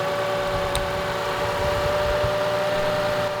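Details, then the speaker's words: Lexus idling, alternator still charging: steady thin whine over the engine, heard with electronic stethoscope on the alternator, from worn alternator bearings; alternator replaced. "alternators come back electronically but they can also go bad physically there's bearings in here"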